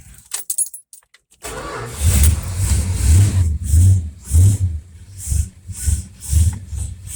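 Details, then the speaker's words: Rebuilt Mopar federal-style power steering pump on a Mopar car, just refilled with fresh fluid and being bled by cycling lock to lock; engine idles with slow load swells as the wheel turns, no whine or groan: normal pump after repair. "this is how we bleed the system out I don't hear any noise sounding"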